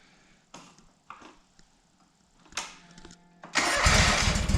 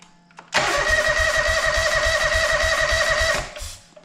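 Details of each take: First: John Deere 425 mower after cleaning and repairs, new fuel line and coolant hose, first start in months, second try after removing a left-on cap: a few clicks and knocks, then catches and settles to steady even idle, no misses; normal. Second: John Deere 425 mower after cleaning and repairs, new fuel line, fuel filter and coolant hose, first start in months: steady cranking about 3.5 beats per second with a few weak catches, won't run; fuel starvation.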